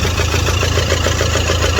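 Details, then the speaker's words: Toyota Fortuner diesel idling with the air cooler removed and an injector coupler unplugged (check engine light on): uneven lumpy beat with missed pulses, heavy misfire; starts fine cold in the morning, injectors being checked. "यहां आप देख सकते हो इं engine जो है ना ये मिशिंग कर रहा है और ये काफी ज्यादा मिशिंग कर रहा है इधर देख सकते हो"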